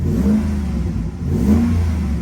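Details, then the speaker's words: Repo car at auction, shifting fine into reverse and drive, warming toward temperature: two clean throttle blips rise and fall smoothly over a steady idle with no knock or rattle; engine revs healthily. "Sounds good. It actually sounds really good."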